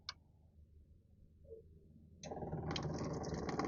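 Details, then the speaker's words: Onan Microquiet 4000 RV generator fuel pump, tested with its outlet hose disconnected, starts after a quiet pause with a light, steady ticking of about four clicks a second and pumps a steady stream; the fuel pump is working normally. "that it's pumping very good it's working okay so my fuel pump seem to be working it's pumping very steady stream"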